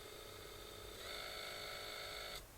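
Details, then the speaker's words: New 2306 brushless motor on a custom miniquad build, spun up on the bench: high motor whine with rough undulating, wavering rumble and vibration; three of four 2306 motors sound bad, faulty. "you can hear a sort of a bit of an undulating noise more vibration this one is awful listen to that"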